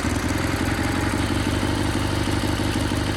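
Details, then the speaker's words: Sears GT18 tractor after a new transaxle: steady small-engine drone with an even pulse and no grinding; the transmission is likely undamaged and the earlier vibration was the belt slipping on the pulley. "the important conclusion in my opinion is that transmission probably isn't damaged and it was just the belt slipping on the down pulley"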